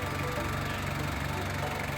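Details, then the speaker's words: 2003 Ford Ranger 2.5 XLT 4WD turbo diesel, original engine, after glow-plug preheat: easy start, steady quiet diesel idle with smooth beat, no knocks, stumbles or shaking; healthy idle. "เสียงของเครื่องยนต์นะครับก็ถือว่าเสียงเพราะเสียงเงียบนะครับเครื่องก็เดินเรียบเครื่องไม่สะดุดเครื่องไม่สั่น"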